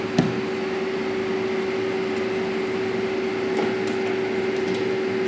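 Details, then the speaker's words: Carrier air-conditioner indoor unit with three blowers, where a blown fuse was traced to one blower: a steady mid-pitched droning hum with light ticks. The noisy blower motor was switched off right away. "nagiingay siya kaya pinatay ko na lang siya agad"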